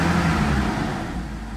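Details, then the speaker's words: 2001 BMW E46 330ci convertible, bought sight unseen, warming up toward 10: heavy low roar over the engine, "like a Greyhound bus", easing slightly as it settles; owner suspects the fan clutch, which felt stiff. "sounds like a Greyhound bus so we need a uh we need a clutch fan that's why it was so stiff"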